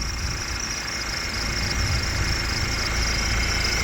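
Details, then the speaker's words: Cheap Audi TT sport model at idle, engine bay: steady high squeal/chirp at front of engine; owner suspects a pulley and belt, possibly crank pulley, unconfirmed. "You can maybe hear there's a pulley slightly chirping there. So it'd be nice to get that sorted."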